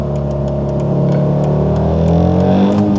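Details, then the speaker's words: VR5-engined car while driving: the engine drones low and strained, pitch creeping up without the car gaining speed, as the brakes lock fully on; smoke follows, and the owner suspects the brakes or clutch. "brakes are on and now they're completely on and i'm you know in a terrible spot no way man come on it's not good for the engine either"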